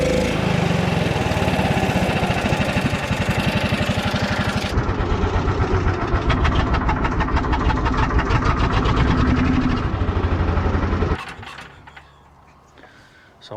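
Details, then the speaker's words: John Deere Gator small engine: chugs unevenly and lumpy as throttle is worked, then drops to quiet idle; when hammered it blows gas out of the carburetor toward the breather side. Owner suspects carburetor, plans replacement. "But when I hammer that thing that it's blowing gas out of the carburetor, like towards the breather side."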